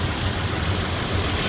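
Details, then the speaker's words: 3rd-gen Toyota Tacoma (2016–2023, V6 or 4-cylinder) after oil change, 5 minutes warm idle on a cool day: smooth, even low hum, earlier tick gone, maybe slight injector tick; healthy. "purring like a kitten. I mean, I don't know if you can tell on video, but quiet. I don't hear the tick."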